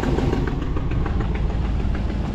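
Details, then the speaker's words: 2016 Ram truck at idle: faint, fast ticking in time with idle over a low, rough rumble, getting worse; owner assumes a leaking exhaust manifold gasket, not confirmed, truck due to go in for the fix. "do you hear that that noise is just getting worse that gasket which I assume is an exhaust manifold gasket is getting worse"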